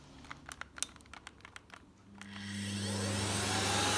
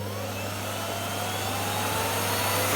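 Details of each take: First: Miele Revolution 700 vacuum on carpet with suction set to 600: a few handling clicks, then a steady, even roar with a light whine the owner attributes to bearings; it otherwise runs normally and smoothly. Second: Miele Revolution 700 vacuum running on carpet: a steady motor drone with a thin high whine creeping upward in pitch; the owner suspects worn motor bearings that may be getting worse, unconfirmed.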